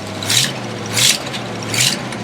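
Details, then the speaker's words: Jaguar with a Chevy 350 small block, just started after 12 years sitting, with water squirting from a hole. Three quick throttle blips rise and fall cleanly over a steady idle, with a little smoke (likely Marvel oil burning off); otherwise sounds good. "we can get that fixed but everything else sounds good let's give it a little gas whoa"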